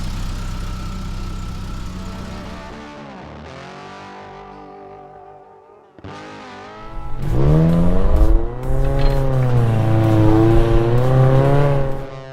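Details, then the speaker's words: Geo Tracker after a header install, idling then revving: a clean, steady exhaust note with no puffing or ticking and no major leaks; possible small pinholes, and a small rattle suspected from the catalytic converter pipe on the other side. Healthy exhaust. "Sounds good. No major exhaust leaks like I mentioned earlier."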